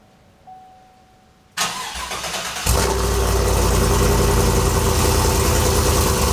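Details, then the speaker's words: Truck with 5.3 L83 V8 fitted with an L86 6.2 intake, recorded at the muffler: starter cranks briefly, engine catches cleanly and settles into a steady, even idle with no misses or knocks; sounds healthy. "Sounds pretty good."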